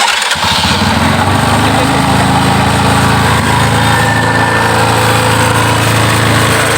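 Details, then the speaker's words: Yamaha Scorpio single-cylinder motorcycle after carburetor tuning: a fast, even putter holding a high idle RPM without throttle, with no misses or pops. It idles cleanly and healthily. "Ya, RPM saya tanpa ngegas langsung tinggi. [berdehem] Ya, RPM lebih tinggi menunjukkan bahwa kemampuan bekerja dia baik."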